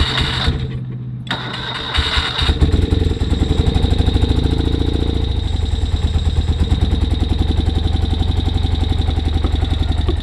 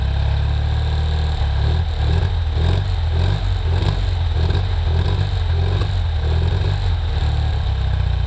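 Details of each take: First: 1973 BMW R75/5 motorcycle, unrun since 2015, with non-original carburetors, on a cold electric start: it cranks about two seconds, then stumbles into an uneven beat. It misfires and is missing on one cylinder; the cause is not yet found. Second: 1973 BMW R75/5 boxer twin, unused since 2015, idling with a spark plug wire loosened to widen the gap over a suspected fouled plug; old oil: steady even low thrum with regular pulse, no misses, running well.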